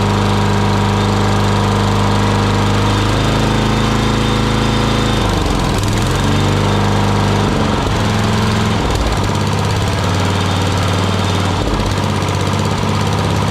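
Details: Murray lawn mower single-cylinder engine, just after carburetor cleaning for dirty fuel (float and needle fine), started on choke at full throttle: runs steadily and changes speed cleanly with the throttle, no sputter or surge; runs healthy.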